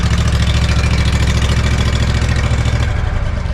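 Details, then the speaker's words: Walker T25i mower engine test-run after pulling, cleaning and reinstalling it, everything only hand-tight, exhaust and heat shield not fully on. Stator and magnets cleaned to fix charging. Loud steady run, low even beat, no misses or knocks; running normally. "We got it running. It's not connected. It's just basically, everything's hand tight, snugged up."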